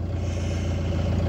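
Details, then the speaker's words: 2006 Peugeot Partner, now running after BSI code clearing, warmed up: steady fast idle at about 2,500 rpm with even low drone, no hunting; high idle, earlier safe mode not cured. "have I cured the previous problem which was the safe mode no that's the only two and a half thousand revs but I'm grateful I got a runner"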